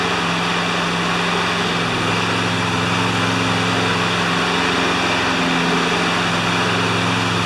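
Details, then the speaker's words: John Deere JS25 mower with engine swapped from a Toro, running after installation: small single-cylinder steady and even at constant speed, no misses or knocks; runs like a champ, normal running. "she runs like a champ today my friends"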